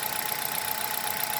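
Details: Hyundai Solaris 1.6 at about 18,687 km on 5W-40 oil, engine hot at idle: a fast, even light ticking knock from inside the engine over a thin, hissy background. Cause not found.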